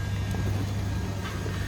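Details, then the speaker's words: 1979 Lincoln Continental Mark V, 400 V8, reportedly 130 (thousand) miles, heard from the rear; low, even rumble with steady beat, no misses, knocks or ticks, not smoking; starts easily, normal idle. "i slipped out of the back to hear it run not smoking good sounding car"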